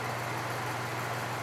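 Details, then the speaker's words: 1970s Patton U2-1272 fan with a newly installed Fasco motor replacing one that burned out in 2016, on low: smooth, quiet hum and a strong steady breeze, quieter than the original motor. It draws 0.66 A against a 0.7 A rating, so it runs normally. "pretty quiet and it has a nice strong breeze i think low speed is actually quieter with this motor than it was with the original motor"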